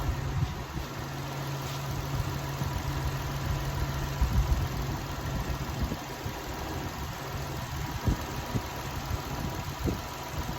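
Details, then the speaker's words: 2004 Toyota Sienna 3.3 V6, 23,000 on odometer, just after timing belt, water pump and valve cover gasket work, run briefly without coolant: low steady idle, even beat, no knocks, ticks or squeals; normal idle. "yeah it's going sound it sound really good"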